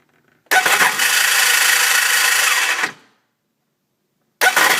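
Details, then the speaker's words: 2002 Sea-Doo GTX DI jet ski with a new starter, fully charged battery and starter relay jumped: a high, thin whirring spin of about two seconds with no firing as the starter freewheels; the engine gear the starter engages was broken. "it tries to start and once in a while it will actually start up just enough juice to get it get it going but for some reason it it doesn't start right up that's that sound"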